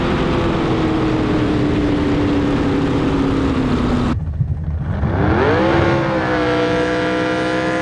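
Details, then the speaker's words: Jet boat with rebuilt 632ci all-aluminium big block Chevy, about 1200 hp, running at 120-plus mph on a lake: strong steady roar that drops on throttle lift and climbs cleanly back; healthy engine at speed. "[Music] God, that boat sounds so good. [Music] [Music] Sounds fun. Sounds great, dude."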